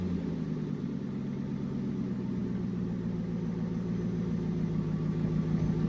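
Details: 2015 Aston Martin Vantage GT V8 after Fabspeed X-Pipe install, rear exhaust section reseated after it had slid back; deep, even burble with steady low rumble, no ticking, puffing or rasp; normal, sealed exhaust note.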